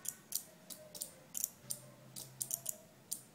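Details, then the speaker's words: Relay flip-flop circuit, two relays with capacitor charging and discharging alternating two LEDs: sharp crisp relay ticks at an uneven few per second over quiet background; normal relay switching. "So you can hear the ticking sound of the relay."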